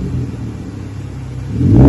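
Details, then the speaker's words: 2013 Hyundai Genesis Coupe 3.8L with the rear muffler removed, a split Y-pipe axle-back, factory resonator and cats, and 3.5-inch tips; it backfires a little when cold. Low burble swelling to a deep, smooth, throaty rumble as revs rise. Normal exhaust rumble. "Definitely got the Fast and Furious sound to it. Sounds pretty good."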